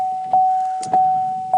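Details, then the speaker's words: 2016 GMC Sierra windshield wipers after repair of underhood fuse box relay, high speed previously dead: steady motor hum with soft thump about every 0.6 s as blades reverse; low and high speeds sweeping normally. "there's low there's High hellow hi start it up"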